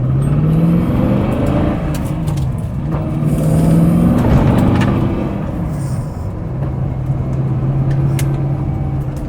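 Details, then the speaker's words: TVR Griffith 500 Rover V8 pulling on a test drive after extensive work, heater on to circulate coolant, cool day; coolant about 70 degrees, oil pressure pretty good, oil change still due. Deep note rising cleanly and easing off, no misfire or knock; normal acceleration. "That is absolutely lovely running. Staying nice and cool. It's just right about 70 degrees."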